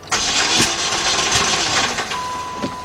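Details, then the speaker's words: 2006 Saturn Vue 2.2, cranks but no-start: the engine spins on the starter without catching, with sharp irregular pops and a lot of clanking; cause not yet determined. "All right, now I heard a lot of clanking around."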